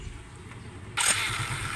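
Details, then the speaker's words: 3-year-old Suzuki Smash after overhaul, decarbonizing and new gasket for dying while riding and no steady idle: one push start catches straight away and settles into a quiet, stable, even idle with no misfire. "so mapansinin mo no isa ray tulak sa push start niyaandar daun siya gwapo na stable na p kayo ang ihahang menor ' ba smooth na kayo siya"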